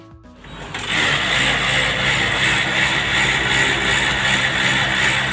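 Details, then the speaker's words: Photocopier warming up with loud harsh pulsing grinding roar; still noisy with drum removed, so drum, rear gearbox and belt ruled out; paper also not feeding. Loud grinding during warm-up. "bunyi namun ketika drum ini dilepas ternyata suaranya masih berisik artinya Dream Ini aman"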